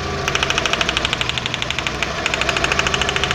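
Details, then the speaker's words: Mk4 Jetta 2.0 losing power badly, idling with a plug wire pulled and spark present, but no change in running: uneven chuff about three times a second over the engine hum; misfire, dead cylinder. "Vean, ya lo quité el cable de la bujía y el carro falla exactamente igual, o sea, no está trabajando ese cilindro."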